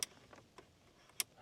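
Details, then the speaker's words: Crisp, clean clicks as the end air vent shutters on a Cupra Terramar open and close, no rattle or grinding; vents working normally. "Ah, clicking sounds from the end air vents on and off. So, this beautifully done."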